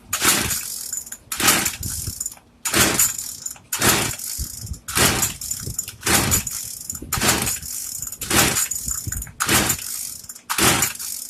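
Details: Craftsman two-stroke weedeater, stored after six months' use and stopped running, after priming: about ten rasping pull-cord strokes, roughly one a second, spinning without catching; hard starting.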